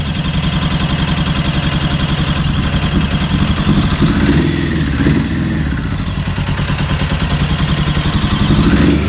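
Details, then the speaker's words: 1996 Suzuki RF900R motorcycle, carburetors not yet cleaned, possible fuel-supply problem: engine fires and revs but beat stays uneven and lumpy, never settling to a steady idle; unstable running, cause not confirmed. "Finally success. Could make her fire up. She's roaring already. But yeah. It's not uh sturdy enough. stable yet. But luckily she's running."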